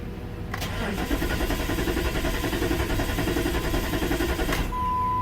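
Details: 2002 Jeep Grand Cherokee 4.7 that suddenly quit: starter cranks steadily at about three and a half turns per second for four seconds and never catches; RPM gauge dead, no codes readable; failed PCM confirmed.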